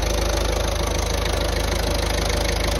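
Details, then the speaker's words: Ford Transit Connect 1.5 TDCi after head rebuild following timing belt failure: steady, even diesel clatter at idle, about 220 beats a minute, no misses, knocks or leaks; engine running healthy. "still looking good it sounds good as well"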